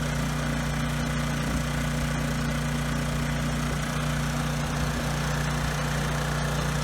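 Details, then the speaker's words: Briggs & Stratton generator engine at no load before carburetor cleaning; idles low and a little uneven with a slight stutter under wind noise, rpm low; cause unconfirmed; rough idle with low engine speed. "okay so it does run pretty well it does stutter a bit the RPMs are also a little bit low"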